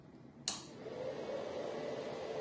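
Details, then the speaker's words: Replacement 1800 W power supply for a Goldshell X5 ASIC miner, with two bigger slower fans, plugged in without the miner running: click, then soft steady low fan hum without high-pitched whine; normal, quiet fan noise. "okay you can hear the pitch is not high there is isn't noise but it's minimal so the pitch is not high compared to this one this one is really quiet"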